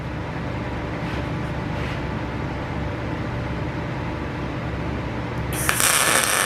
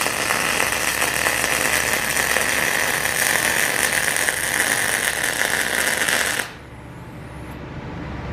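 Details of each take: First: PrimeWeld MIG160Ts, solid wire MIG, C25 gas at about 15, electrode positive, before raising to about 20 V and 350 ipm: short crackly, sputtery tack bursts instead of a steady sizzle; voltage and wire feed too low. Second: PrimeWeld MIG160Ts MIG welding with settings turned up to maximum after a sputtering bead. Even, steady frying crackle for about six seconds, then a clean stop. Steady, good MIG arc.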